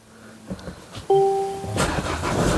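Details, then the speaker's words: 2016 Mercedes E-Class non-starter, after replacing a blown 30 A fuse caused by a jump-start power surge: a brief chime, then the starter whirs and the engine fires straight into a steady run; clean, healthy start. "Here we go, it's started up. So that's the problem of the battery going flat and then somebody jump starting and it got a power surge and it blew the fuse."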